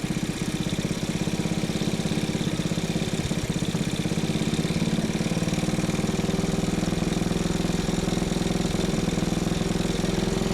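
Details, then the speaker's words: Old go-kart single-cylinder engine on its original carburetor: steady, even chugging idle with no misses or surging; it idles well but struggles when throttle is applied. "Maybe the air filter's not giving it what we need. That should be it. Sounds good."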